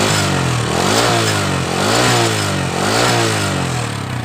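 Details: Honda Astrea motorcycle idles smooth but turns coarse and rough when throttled, emitting white smoke. Revs rise and fall about once a second, pointing to worn piston rings.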